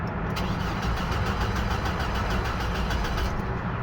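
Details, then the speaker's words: 2007 Hummer H3 after replacing the rear portion of the ignition switch and cleaning contacts: starter cranks steadily about four seconds, never fires; passlock light goes off but still no start, fuel pump relay next suspected. "Does not start. And then the pass lock does come off. Try again, still doesn't start."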